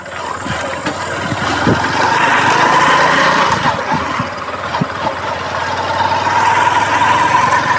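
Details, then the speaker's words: Hero Passion XPro motorcycle after engine and clutch repair for white smoke and weak pickup, ridden: light quiet engine note rising smoothly with speed, no knocking or rattle; normal running with strong pickup. "बहुत ही हल्की sound हो चुकी है बहुत ही हल्का लग रहा है भाई चलाने में और पिकअप भी जोरदार निकल के सामने आई है"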